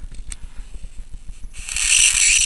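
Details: Faint low pulsing, then a loud, steady hiss bursts in as a strong high-voltage arc forms at the flyback transformer output after the driver polarity was swapped.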